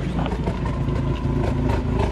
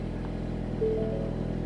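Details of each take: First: 2020 Ford Mustang EcoBoost HPP A10, MAPerformance Stage 1 short block, Ford Performance camshafts, 12 psi wastegate, ghost cam tune locking cams at overlap: choppy, uneven idle, about 200 lopes a minute over a deep rumble, diesel-like chop. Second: 2020 Ford Mustang EcoBoost HPP (10-speed auto) with forged short block (2.0 block, 2.3 crank), Ford Performance camshafts, 12 psi wastegate, freshly flashed ghost-cam tune, first start before warm-up: low, even idle hum, steady beat, no misses or knocks; idle is smooth.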